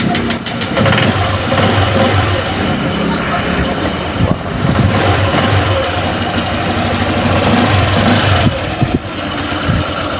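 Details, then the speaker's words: Honda Click 125 v3 scooter, 18,000 on the odometer, with overheating and coolant blowout complaint, just started cold, battery 12.3 V and weak: quiet, even idle with light chatter, no knocking or misfire; engine runs fine. "naman, tahimik naman yung makina eh."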